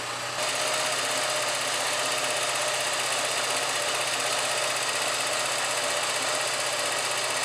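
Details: Porsche 944 Mk2 test run after replacing the front fuel lines with a little fuel in the tank: engine catches and settles into a steady even run with a smooth hum, no misses, knocks or stumbles; normal running.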